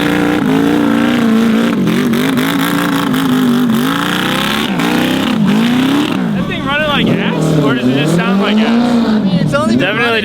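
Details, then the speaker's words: Yamaha R6 motor swapped into a Yamaha Raptor quad, first start with a new exhaust: ragged, uneven revving, revs hanging near 14,000 rpm before dropping; running rough and lean, owner suspects unequal-length headers. "it does not sound like it's running good it might have slightly [ __ ] up not making the headers equal length which I think could be throwing it off"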